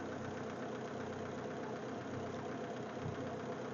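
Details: MG TF 160 VVC just after front and rear cam belt change, jump-started from flat battery: quiet, even idle with soft steady patter, no knocks or misses; engine settles and runs smoothly after the timing belt job.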